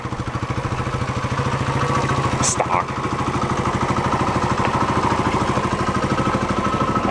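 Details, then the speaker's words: 1972 Honda SL125, single cylinder, after refitting the exhaust with the airbox not yet fitted: an even, quick putter with a soft, muted exhaust, some audible carburetor intake air, and no knocks or rattles; healthy idle. "that sounds good nice and"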